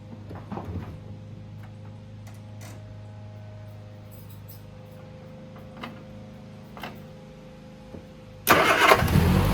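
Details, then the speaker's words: 1971 MG Midget 1.3L after replacing a weak starter whose positive post connection was loose: a brief quiet lead-in, then the new starter turns it over briskly and the engine fires and settles into a steady idle, a healthy start. "Okay, the starter's installed. Just gonna fire it up so you can hear how it sounds."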